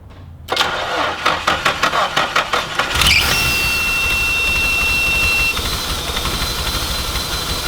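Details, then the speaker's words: Nissan Pathfinder after fixing a holed line to the fuel canister: cranks about eight times, catches, uneven idle with a loud thin whistle; rough idle from a vacuum leak not yet located. "you can hear like that hardcore whistling you guys know what that is i don't know"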